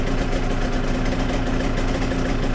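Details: Yamaha TZR 250 3XV two-stroke twin after carb balancing, started cold after sitting hours: smooth, steady idle with an even low drone and no misfire or hunting; exhaust temperatures now near 70 and 63 degrees, cylinders running evenly.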